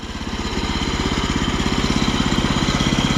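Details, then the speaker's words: Woodland Mills HM126 14HP sawmill, small single-cylinder engine idling, worn centrifugal blade clutch: light metallic tinging over an even idle. The clutch is riding close to engagement and wearing at idle. Blade stalled under slight pressure; clutch being replaced. "tinging tells you that that clutch is pretty close to engaging right now. So there's no adjustment on it though that I can find, unless it's just adjusting your engine idle."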